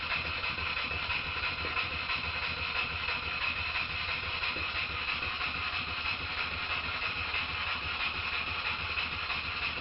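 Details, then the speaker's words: Stuart Models No. 10V model steam engine, previously a non-runner, after repair with slight crankshaft end float considered common and not a problem; quick, fairly even light chuffing about three beats a second over a steady airy hiss, running smoothly. "that's really about it for this video I'm going to leave you with the engine running"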